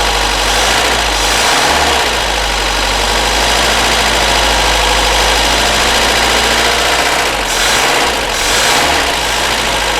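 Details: Barn-find Amazon petrol engine after piston ring replacement, cold start with no choke: fires and settles into a steady, even idle with no knocks or misses. Carburetor was set a bit rich. Water pump drips slightly and will likely be replaced.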